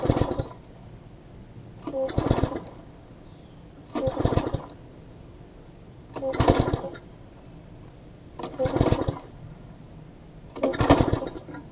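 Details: MTD front-tine tiller, long sat unused, plug getting wet, spark plug swapped: repeated pull-starts about every two seconds catch briefly then die, firing but never running; owner checking spark, flywheel key next; cause was misconnected throttle linkage at the carb.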